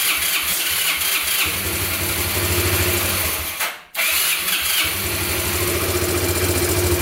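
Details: Abandoned Yamaha Breeze ATV on a cold day, started with gas poured into the carburetor and the air filter off: it runs unevenly, dies out near four seconds, then catches again. Rough idle and stalling; owner suspects spark plug, missing air filter, choke or air leak.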